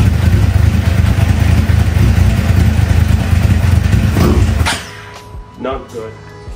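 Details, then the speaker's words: 2009 Suzuki GSX-R 750 that idled poorly and died on throttle; after new spark plugs and ignition coils it stays running but the four-cylinder idle is uneven and lumpy, stumbling and surging; rough running, cause unclear. "all right guys I had to cut that shot because after installed the new spark plugs and car packs the vehicle or the motorcycle was still experiencing the same issues he was having only that this time he actually stayed running but it did not sound good"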